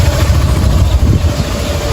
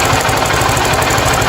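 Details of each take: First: 50cc motorcycle after replacing the bearing behind the clutch bell plus connecting rod, piston and cylinder: steady, even, smooth idle with no knocking; earlier noise gone. Normal idle. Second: 50cc motorcycle at idle: fast, harsh rattling knock running steadily through the idle; suspected loose rocker or cam chain at first.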